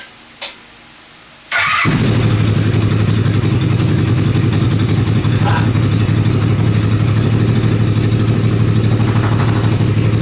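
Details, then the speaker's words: Dune buggy started after months sitting outside under tarp, old gas drained, fresh gas, carburetor not cleaned, battery charged: brief crank then fast busy idle with steady pulse, too high; idle needs turning down. "okay it sounds like I need to turn the idle down a little bit but it actually still runs"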